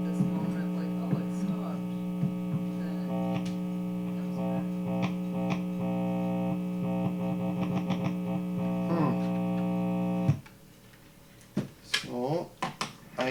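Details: Guitar hum during wiring troubleshooting: a humbucking pickup still hums, all grounds run to the bridge (owner doubts a ground loop), and the pickup leads may be reversed. A constant low hum with buzzy overtones under the plucking stops when unplugged; cause unknown.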